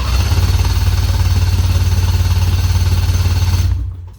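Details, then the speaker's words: 2004 Ski-Doo GSX 600 HO two-stroke snowmobile, giant backfire on startup followed by no start: the starter spins the engine in a deep, steady thump of about 3.5 beats a second without firing; spark plugs found wet-fouled. "that's it just spins and spins and spins starters going nothing's happening so we're gonna check the spark plugs first and let's see if they're wet fouled"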